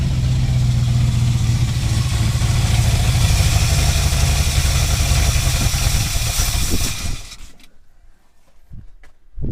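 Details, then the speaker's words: 1984 Dodge Power Ram whose distributor, coil, ignition box, carburettor and fuel system have been replaced: holds a rough, uneven idle for several seconds, then fades and stalls with fuel present. Owner suspects lack of fuel plus an electrical failure; not confirmed. "like it's just dying out but there's fuel down there"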